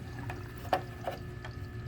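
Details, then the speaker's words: DIY 20-gallon sump under 75-gallon aquarium, after placing a broken net in the drain: only soft low trickle with faint occasional ticks, no gurgling or slurping; drain noise instantly gone. "Instantly, no more noise. So all you need to silence this noise here is one of these little $4 nets off Amazon."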